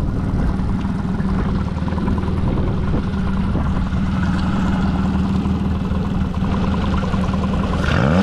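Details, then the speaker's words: Mercury 40–60HP FourStroke EFI outboard after a throttle body replacement fixed its high idle and stalling: clean rev with no hesitation, dropping straight back to idle with the IAC chirping normally. "Now, no hesitation. It drops right back down to idle and chirps away just like it's supposed to."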